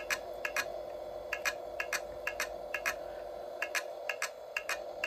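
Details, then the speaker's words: Stock 2002 hard drive in a soft-modded 2002 PAL original Xbox showing error 7, not booting, main light flashing. Faint sharp ticks in uneven pairs, about two a second, over a steady hum; the drive never spins up and is presumed dead. "and from what I've read with the a 7 and um that clicking noise not booting and the um main light flashing like that then um a dead hard drive"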